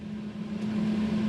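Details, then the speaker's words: Renault 9 Broadway heater blower fan motor after servicing, run through speeds 2 and 3: a steady, even hum with a clean constant tone and no squeal or scraping; previously noisy, now runs smoothly. "Eskiden böyle e abimin dediği gibi abi motordan daha çok ses geliyordu Yani bunun sesini bir keselim diyordu yani şimdi artık yağ gibi çalışıyor arkadaşlar"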